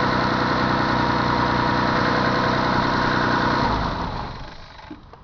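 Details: 3000GT VR4 V6 being revved: a regular knock, about four a second, rides over the engine roar, seemingly from the front head. Owner fears a spun bearing; cause unconfirmed.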